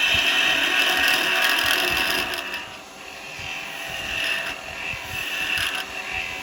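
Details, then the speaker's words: Record Power 1/4" spindle gouge cutting wood on a lathe after being shortened and reground: steady, fairly high hiss at an even pace with no screech or chatter; a clean, smooth cut. "it's nice it's not got all that Flex to it you know it's screeching on it even there's no screeching it didn't Screech or nothing"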